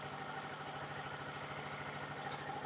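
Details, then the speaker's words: Renegade 125cc started after a new baffle, wrapped in rockwool, was fitted to the previously straight upper exhaust pipe: quiet, even idle with soft pulse and faint internal ticking; engine and both exhausts sound healthy. "yep sounds lovely it sounds like it should the engine is so quiet you just hear the workings slightly ticking over inside the exhaust pipe is sweet both of them"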